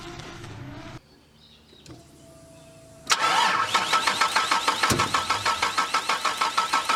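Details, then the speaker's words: 1972 Holden HZ ute with a 3.8L Ecotech V6 of unknown engine condition: a pause, then steady starter cranking at about three turns a second with sharp pops. It cranks but won't start, backfiring; spark plugs are to be removed for checks. "So hopefully that came across on the camera all right, and that you heard that there was some backfiring and it obviously didn't start up."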